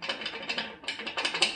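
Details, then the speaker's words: 2018 Gravely ZT HD 48 zero-turn mower, rattle started around 5–6 hours of use: quick uneven bright, tinny metallic clatter; owner suspects loose anti-scalp and bogie wheels with flattened wave washers, plans to add washers; not confirmed. "that's where it sounds like all my toys just coming from this side so I'm guessing that's that and also the bogie wheel underneath also rattles"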